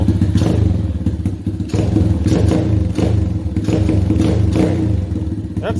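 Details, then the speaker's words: 125cc pit bike with Mikuni-clone VM22 26mm carb, after freeing a jammed throttle cable and setting the idle screw: steady, even low thumping single-cylinder idle without stumbling; idle speed correct and engine healthy. "hey hey let's go ahead and set that idle screw now that's a good sound right there that's what you want to hear"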